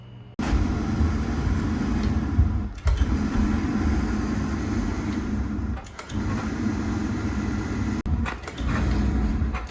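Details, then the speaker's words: Beckett AFG oil burner on a boiler: the steady roar cuts out every few seconds and relights with clicking, surging on and off without tripping on safety; the owner suspected a bad relay, and replacing the primary control fixed it. "Every time it fires, it kind of surges, clicks on and off. It never trips out on safety."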